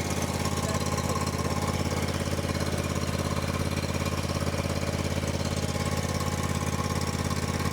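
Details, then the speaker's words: John Deere X350 riding mower, sat several years, started for a yard test: steady even idle with smooth low putter, no misses or knocks; running healthy. "Fire this thing up. Looks like they had a little zip tie on here. Well, we'll take that off. But she's running."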